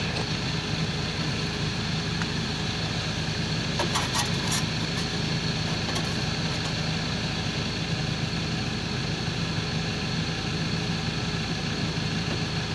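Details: Ford Transit rear-wheel-drive 2.2 diesel idling with a rough fluttering rumble and faint whirring hiss; turbo failure with excessive shaft play.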